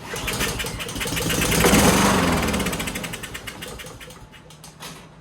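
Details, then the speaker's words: Subaru EA175V mower engine after water was found in the fuel, running on starting fluid: rapid, fairly even firing briefly, then it fades out. It will run; the carburetor is to be serviced next. "All right, so I turned the fuel back on just for kicks and giggles. Gonna give it a little starting fluid."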